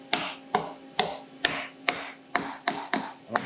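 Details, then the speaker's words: About eight sharp hammer taps on a titanium plate being faced from .800 to .375 in on a milling fixture, with clamps only lightly tightened. Some taps ring hollow at the end, showing a small gap where the plate is not fully seated, which could cause chatter. "It's not really 100% up against the fixture out here. You can hear the difference. So there's a little bit of a gap."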